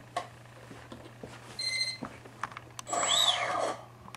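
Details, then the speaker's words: Tritle Douglas DC-6B RC model, four motors on ESCs, first power-up with receiver battery connected first: quiet, then short high-pitched chirps and a rising-falling tone burst. Normal ESC arming beeps. "So connect the receiver battery first. Got light. Plug this in. I should hear 4 beeping motors."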